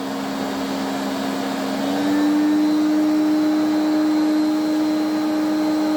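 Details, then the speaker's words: Electrolux 350E cylinder vacuum cleaner, restored, run from minimum up to boost: a coarse droning whine that steps up with each speed, then a grumble on switch-off. The motor is worn inside. "let's turn it on and you can hear how poorish she sounds"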